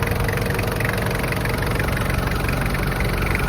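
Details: 1995 Toyota Land Cruiser KZJ73, 3.0L 1KZ-T turbo diesel with mechanical injection pump, heard at the open hood with the fan running. Steady, even diesel clatter at idle with fan whirr, no stumbling or heavy knock. Healthy idle.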